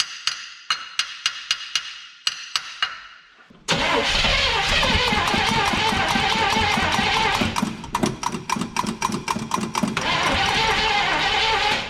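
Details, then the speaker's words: 1975 Chevrolet C20 squarebody after nine years sitting, carburetor needle and seat suspected stuck and tapped: even starter cranking around four turns a second, no cylinders firing, never catches; likely a fuel supply problem, so the carburetor comes off next. "we're not doing our battery or starter any favors by cranking this thing over longer than we need to so let's just pull that carburetor off and pull it apart and see"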